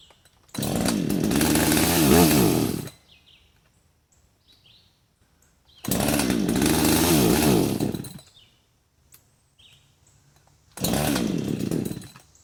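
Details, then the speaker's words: Husqvarna 562xp, hot after cutting, sat 15 minutes in the sun at 91°F and humid, cylinder too hot to touch, primer bulb a quarter full: fires three times, runs rough briefly and dies; owner suspects vapor lock. "It will stumble, but so far will not start. I'm sure when it cools down, it'll start just fine, like it did when I first started cutting."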